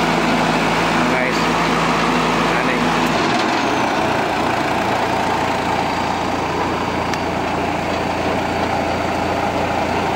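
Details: Cable reel/drill machine diesel engine with a hard-starting history: loud steady diesel clatter settling to a lower even note after about three seconds; normal running.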